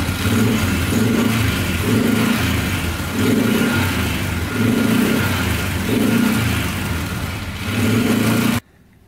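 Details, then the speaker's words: Polaris Sportsman 500 4x4 ATV after its no-spark problem was fixed, running with no smoke. Crisp single-cylinder throttle blips about every second rise and settle evenly with no misfire or knock; it revs cleanly. "yeah everything's smooth really smooth it's running great no smoking let's give it a little throttle here"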